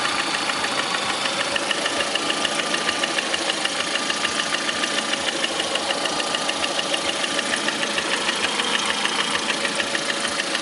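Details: 2009 Lada Priora, 37,000 km, engine began knocking 500 km after adding Suprotec additive: sharp, quick ticking knock repeating steadily over the idle at a few beats per second; source uncertain, cause suspected not confirmed.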